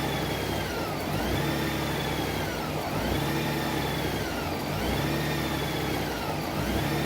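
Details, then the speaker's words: 2012 Honda Goldwing during warm-up at about 63°C. With rpm held constant by throttle, the engaged PAIR valve makes the speed swell and sag about every two seconds in a repeating cycle. Revving more lugs the engine down; surging before the O2 sensors come online. "If I rev it up more when it's engaged, it's really lugging the engine down."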